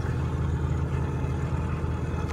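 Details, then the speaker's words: Cummins diesel with a G56 transmission and a Valair twin-disc organic quiet clutch, idling with the pedal out: light, loose chatter on the low rumble. Normal twin-disc clutch rattle, much reduced by Mobil Delvac 50 transmission oil. "when I first picked it up I had I didn't have them put the mobile dil back 50 transmission oil in there and it was it was really loud it was annoying"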